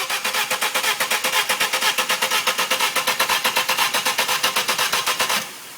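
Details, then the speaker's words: BMW 318/320 injection, gasket set changed, stalled while driving and won't restart; fuel and fuses checked: steady starter cranking about four beats a second for over five seconds, never catching; tries to fire only with carburetor fluid. "When you put carburetor fluid in it, it looks like it wants to start, but it don't."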